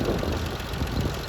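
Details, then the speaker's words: 1995.5 Isuzu Rodeo 3.2L V6, manual, 4WD, just over 241,000 miles, steady idle with light quick tapping from the timing belt tensioner, not lifters; timing belt in good shape, being run as is for now, job planned later. "but that tapping you hear is timing tensioner and the thing with that is the timing belt was in good shape so i'm gonna you know run it like it is for now"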